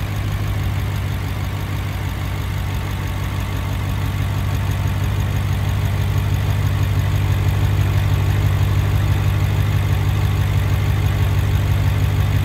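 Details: BMW 650i F06 N63TU just after a high-pressure fuel pump upgrade, started to check for leaks: steady, even idle with a deep low rumble, no misses, ticks or knocks; normal idle.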